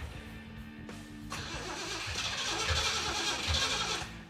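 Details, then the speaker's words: 1975 Jeep CJ-5 with Chevy 383 short-block and Weiand 6-71 supercharger, mechanical fuel pump, after long sitting: steady even cranking that never catches; fuel pump not delivering fuel. "basically the fuel pump should have picked up gas by now and it hasn't you would think it should have"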